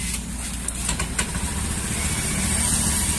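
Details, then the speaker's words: Honda Beat scooter idling, with a coarse low rumble and sharp clicks from the left-side CVT/pulley area when started. The owner also reports misfiring and lack of power, and throttle response felt slightly delayed. Cause unconfirmed. "ini teman-teman jadi paket bulan Ramadhan ini pertama brebet yang kedua ada suara kasar di bagian CVT atau puli"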